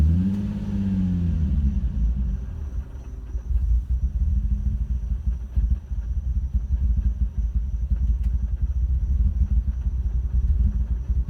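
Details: Nissan 350Z V6 running rough and choppy with irregular pops, misfiring and backfiring out the intake; the cause was a bad injector and coil packs, and replacing both fixed it.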